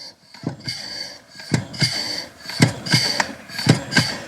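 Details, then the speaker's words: Jaguar F-Type R brake pedal pushed by hand: a high squeak on each press and release with a soft thump at the bottom of the stroke; the owner suspects the pedal bushings, unresolved after three dealer visits. "Hear that squeaking? That's right. To me, that sounds like pedal bushings."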